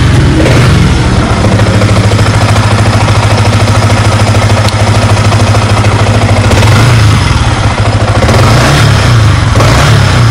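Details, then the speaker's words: Used Yamaha R15 V3, 18,000 km, showroom-checked, serviced with fresh oil, never opened: revs up and falls back cleanly with a slightly coarse, gravelly note, no knock or rattle; normal engine, roughness typical of the model. "Nah, seperti ini bunyinya. Jadi kekurangan salah satu R15 ini adalah bunyi mesinnya yang agak kasar."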